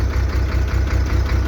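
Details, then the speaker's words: Soosan truck-mounted crane hydraulic pump giving a deep steady pulsing hum when lowering or slewing the boom, starting after oil was added; oil foams, air shows in the clear return hose, no proper oil circulation: aerated oil, suction starvation. "то на стрела соусом 6 тонко она получается при работе опускание крана либо поворот экрана появляется гул"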